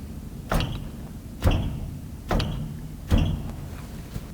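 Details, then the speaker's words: 1997 Ford F250, shifted back and forth between forward and reverse: four sharp single clunks about a second apart; U-joints checked good, clunk from shrunk or worn driveshaft carrier bearing support bushing, bearing probably fine. "so you would think the sound you're hearing it sounds like a u- joint's gone out in reality it's just a carrier support the bearing the carrier bearing is probably fine but the carrier support bushing is actually just shrunk"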